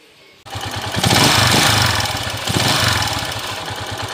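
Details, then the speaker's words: TMX155 single-cylinder motorcycle before repair: starts and settles into loud, rough clatter with uneven beat and shaking, from worn connecting rod and bearings, later fixed with new rod, bearings, timing gear, follower, pushrod. "mga bro napakaingay tapos manginig napakinggan niyo na yung may sanib kanina"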